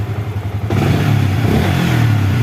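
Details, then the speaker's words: Yamaha New Vixion Lighting (NVL) motorcycle had lost electrical power and ignition, with the neutral light dying after a few seconds. After the wiring path to the neutral switch was fixed, it starts immediately and revs cleanly with a steady low beat and no stumble. Normal start and rev. "walaupun di speedometer mati nggak papa kita starter langsung dia hidup ya"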